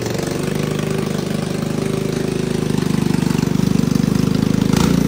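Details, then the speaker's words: Hammerhead 250cc ATV, first start with a drilled-out clogged petcock, jumper battery and no airbox: fast, steady, even-beat idle well above normal, before the idle is turned down. "okay we're going to turn the idle down before she walks off on me it's a little bit lower idle now"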